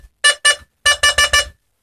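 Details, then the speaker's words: Burglar alarm in engineering mode with the bell box trigger wire disconnected, motion sensor tested; two quick bright chimes, a pause, then four more; the motion sensor triggers and sounds properly. "I've got motion sensors as well there's one in this room I'm running the hallway I'll just give that a try out now"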